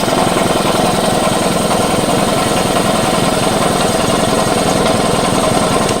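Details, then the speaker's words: Old auction air compressor (Camel Hossfield as stated, roughly 20–25 gallon tank, 1 hp motor, twin-cylinder inline pump), drained of water and refilled with oil, briefly plugged in. Loud, steady rapid pumping chatter with no knocking. Gauge works. Normal running. "that thing works absolutely amazing. And check it out, the pressure gauge works, and also check how much air is in this thing."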